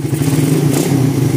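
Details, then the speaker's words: 2014 Suzuki Satria FU bored-up single: a quick, even idle patter with a steady beat and no stumbling. Normal idle; pilot jet and idle judged right, with the mixture screw checked open and closed. "Untuk pilot jetnya enak, stasionernya enak."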